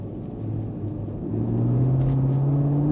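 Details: Chevrolet Camaro SS 6.2 V8 OHV after engine repair for coolant-loss overheating, road-tested about 100 km with no leaks or fault codes: deep smooth V8 rumble pulling evenly at low revs, no knocks, ticks or misfires; healthy.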